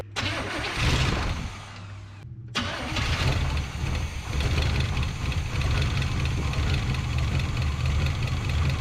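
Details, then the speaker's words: 1984 Chevrolet K30 one-ton 454 big block V8, parked a couple of years, first start on fuel poured into the carburetor: the starter cranks briefly, then the engine catches and settles into a deep, steady idle with no misses or knocks. "engaged without so much as a hiccup it even idled all right"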